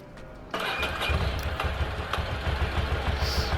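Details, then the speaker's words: Ducati Monster 800 V-twin dormant 4 years, after new fuel pump and battery, checked with vacuum gauges: starter catches, then uneven lumpy idle, one cylinder dead until the other slowly kicks in and sound improves; injectors flushed, cause uncertain. "Yeah, there should be 2 lights. And it sounds like it's running a 1 cylinder."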